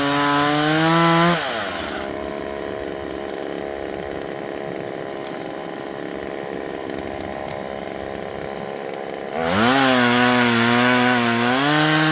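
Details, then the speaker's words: 1997 Poulan 2150 two-stroke chainsaw, about 23 years old, probably a 16-inch bar in a roughly 20-inch tree: screams at high revs, bogs to a lower snarl through the cut, revs free; cut went crooked, owner suspects one-side-dull alternate teeth. "well it went through at an angle which probably means is i sharpened it on one side before i broke the file so i'm probably dull on one alternate teeth"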